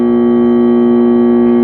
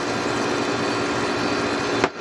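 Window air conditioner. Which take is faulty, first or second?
first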